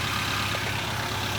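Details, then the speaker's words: Toyota Avanza first start after engine overhaul, warming up as idle speed drops to target while checking for leaks underneath: steady even idle hum with soft regular beat, no knocks or ticks; settling and running smoothly. "sampai ke RPM yang diinginkan oleh mesinnya kita tunggu temperaturnya naik ya guys perlahan akan turun turun turun"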